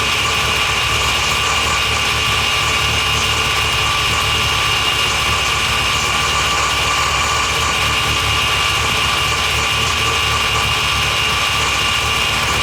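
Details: Mazda FD RX-7 rotary, start after engine rebuild and install with new transmission, exhaust attached: settles into a steady, buzzy idle with a busy, raspy exhaust and no misses or stumbles; running smoothly.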